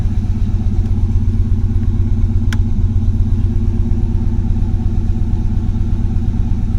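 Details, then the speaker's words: Pontiac 400 V8 with Edelbrock intake and chokeless Chinese 4-barrel carburetor, cold start below 30 degrees, foot off throttle, no choke; steady low burble idling about 850 rpm with no misses or knocks; owner thinks it runs slightly lean. "Without accelerating, it's idling at 850 plus or minus. No choke."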